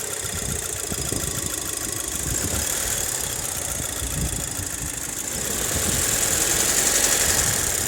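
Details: Audi A4 idling: quick, fairly even tapping, roughly four per second, over a hissy background; knocking noise with source not pinned down.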